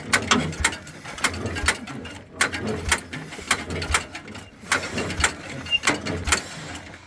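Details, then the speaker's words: 1936 Caterpillar 22 hand-crank dozer, no spark found earlier, timing possibly off: slow, evenly spaced mechanical clacks about twice a second, engine turns over but never fires; cranks but will not start. "Nope. Nope. It's just like, nope, I'm not turning on."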